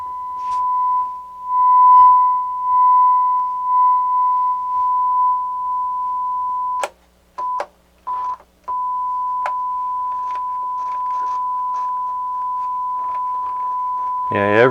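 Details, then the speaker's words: Technics SU-Z1 integrated stereo amplifier, tested with a test tone on speakers before cleaning: steady tone drops out abruptly and crackles as controls move; both channels work, just dirty pots and switches needing cleaning. "both channels are working just dirty switches dirty pots we got both channels"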